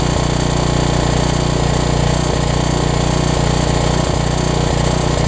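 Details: Troy-Bilt 550-watt generator, run on choke with a new coil; a steady fast drone with a light scraping tick every few tenths of a second, which the owner suspects is a shroud rubbing; the rub later cleared.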